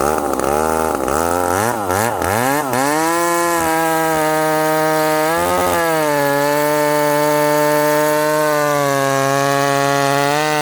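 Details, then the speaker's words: Ported, full-house McCulloch Super Pro 70 (70cc) chainsaw with 32-inch bar, retested cutting hard wood: screams high and free, then pitch sags when buried in the cut. Revs more than his 850 but lacks its pull under load; cause not confirmed. "this saw with a 32 inch bar it does not have the pull of this 850."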